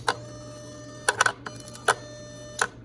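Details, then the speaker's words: Electronic throttle body, bench-wired with ground, constant and switched 12 V and ASD relay, no sensors plugged in: sharp relay click, then short buzzing whirrs with a faint hum as it initializes normally. "So I'm just going to touch this on here, and you're going to hear the click, and you're going to hear the throttle body."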